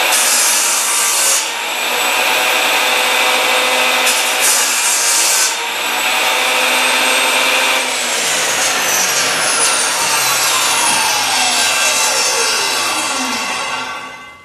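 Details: Craftsman table saw after a repair that included the motor's carbon brushes, cutting a workpiece. The blade whines steadily through the cut without catching or labouring, then winds down smoothly; normal cutting.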